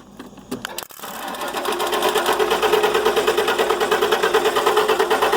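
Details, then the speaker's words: International MaxxForce DT466 diesel, hot-only no-start, starts fine cold: long, steady cranking with even pulses about three a second and no catching; injector o-rings leaking oil (injection-control) pressure. "all right co-ed oil that's the injectors leakin it's one of them Huck's pretty common problem"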